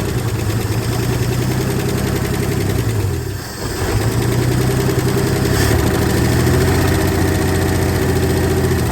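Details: 1968 Ford F100 with 240 inline-six, first start after sitting at least 20 years, no water pump or fan, fuel poured in by hand: rough uneven idle with fast light ticking following engine speed; owner suspects weak lifters or dry valve train, oil present.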